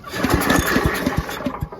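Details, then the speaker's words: Old Giant Vac leaf blower on full choke and full throttle: quick chuffing thumps on each recoil pull, but it never catches. It won't start because a speck of debris is bridging the spark plug gap, a fouled plug. "Yeah, there's actually a speck of crap that's bridging the air gap on there, if you can see that."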